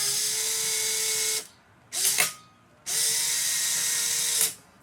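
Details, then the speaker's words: New Mabuchi FK-130SH-16140 high-RPM replacement motor for a Polaroid SX-70 camera, run by bridging the switch: two clean, even high-pitched whirs with quick spin-up and stop, no grinding; super smooth and quiet. "we go. Works like a charm. Super smooth, super quiet, great modern replacement motor."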